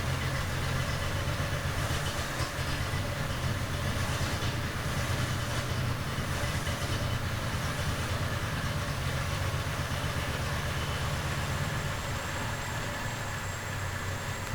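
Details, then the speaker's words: 1970 Triumph TR6 restored engine, first run warming up at -6 °C with choke held; cam timed with valves equally open at TDC without spec: steady low idle with lumpy uneven beat; owner suspects cam timing wrong, unconfirmed. "runs but something is wrong with this C you remember I don't have the spec for this C and I timed it with the valves equally open at top de Center but this might not be right"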